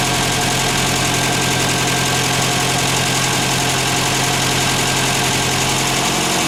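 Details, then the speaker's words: Ford Fiesta MK1 idling with headlights on after replacing alternator bearings that caused a chirp: steady even idle, no squeal or chirp over the engine, still charging 13.24 V; bearing problem solved, normal idle. "Como ya he dicho antes, no se oye ningún chillido que venga del alternador, por lo tanto el problema de los rodamientos le tenemos solucionado."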